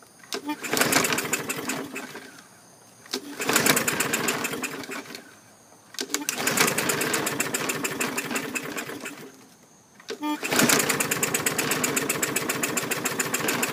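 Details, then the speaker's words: 2017 MTD push mower, Briggs & Stratton engine, rusty spark plug tip, moisture suspected in cylinder: four pull-start bursts, each a brief rattling sputter dying back to quiet, very slow to start; cause suspected, not confirmed. "so so that kind of had me worried really slow to start i don't think i've ever had one slow that"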